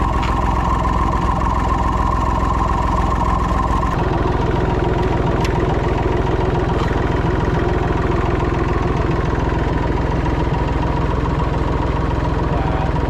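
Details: Massey Ferguson 245 three-cylinder diesel tractor (Perkins tag) idling after 12+ years unused; even low clatter roughly two and a half beats a second, steady and unbroken. Normal diesel idle.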